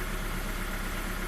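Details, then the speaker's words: Engine idling on three cylinders, one not firing, during in-cylinder pressure transducer testing: low, uneven, lumpy idle beat while idle stabilizes, before a snap throttle. "just let the idle stabilize here it's running on three cylinders obviously"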